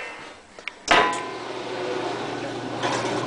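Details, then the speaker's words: Maytag washer that had stopped draining because a water-soaked belt slipped, tested after belt replacement: soft thump, then a steady, even low hum at full spin with the earlier noise gone, belt tensioned well, no slapping or squeal; normal spin. "yeah this thing is definitely a lot quieter when the drum picks up the full speed it doesn't have that sound anymore that sound is quieted down"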